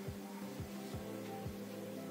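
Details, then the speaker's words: Old-model electric fan, long unused, that no longer spins, switched on: a low, steady electrical buzzing hum with no blade whoosh or airflow, so the motor is stalled. "हम क्लिक चालू करने की कोशिश करते हैं , यह घूमता नहीं है,"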